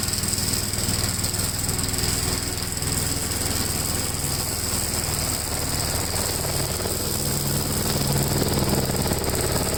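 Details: 1957 Gravely tractor during mowing test after air cleaner service; steady, even single-cylinder chug under mowing load, no knocks or misses; running well.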